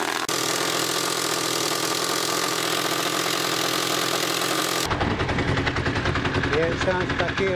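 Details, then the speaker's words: Honda CBR1000F project bike develops a very loud, worrying rattle at idle: a loose, uneven rattle over a rough idle, seeming to come from the back of the engine; owner suspects the clutch, nothing major. "Doesn't sound very good, does it? Well, that's alarming."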